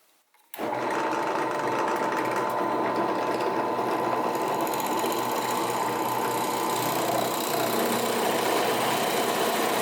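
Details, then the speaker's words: Central Machinery (Harbor Freight) 10-inch 12-speed bench drill press at faster speed after moving belts and re-tensioning (½-inch deflection); starts into a steady, even whir with no rattle or belt slap; normal running. "Alright, let's fire it up with the faster RPMs and the new belt locations and see what she does."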